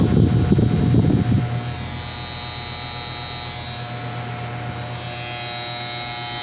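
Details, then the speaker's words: Outdoor A/C condenser that buzzed and failed to start from an ant infestation in the contactor; after cleaning and filing the contactor, a clunk as it pulls in, then a steady even hum with fan whir as the compressor starts normally. "Gonna make sure the compressor turns on, and we got it on."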